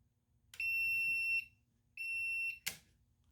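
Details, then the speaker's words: Homebrew brewing control panel's timer set to a five-second countdown: two shrill, steady buzzer tones at the end, the first under a second and the second slightly shorter; timer circuit working. "the timer circuits working as well let's see here let's go ahead and make this five seconds maybe let it count down"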